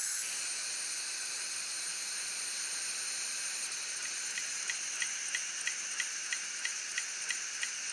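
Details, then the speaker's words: Hitachi Deskstar 7K250 hard drive with a head crash: steady airy hiss, then sharp ticks midway at about three per second as the firmware tries but fails to park the heads; the heads won't go into the parking spot even when pushed by hand. "There's the ticking noise again. Looks like the firmware is trying to park the heads to protect the platters but it fails to do so."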